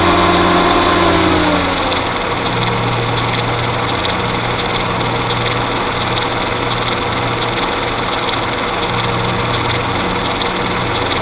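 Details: Mercedes M112 petrol V6 at idle with a quick, light metallic ticking rattle about four a second, very pronounced at idle and gone by about 1500 rpm; suspected timing chain noise, not confirmed.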